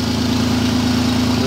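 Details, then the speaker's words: Toyota Land Cruiser with supercharger, after replacing mismatched alternator belts: smooth, even idle with a low steady hum and no belt whine or squeal; the whining noise is gone. "annoying whining noises gone I should have done a long time"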